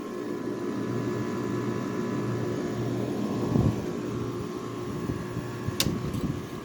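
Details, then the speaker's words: 2009 Haier window air conditioner with Rechi Precision rotary compressor, restarted after a month or more idle, line starting to freeze up as it always does: steady low hum, even fan rush, one brief bump, no rattle; compressor running normally and cooling. "Starting to get cold. Compressor calm down. So yep, it's running. Nice sounding compressor."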